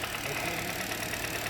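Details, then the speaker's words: 2023 Hyundai Verna petrol BS6 automatic with overheating and starting trouble: light steady tak-tak knock at idle, confirmed as worn loose pistons slapping, with cut, loose cylinder liners found after head removal. "दो number तो जो हमारा engine में से टकटक वाला sound आ रहा था वो हमारा 100% पिस्टन का साउंड था। तो यह पिस्टन पूरे टकटक कर रहे हैं।"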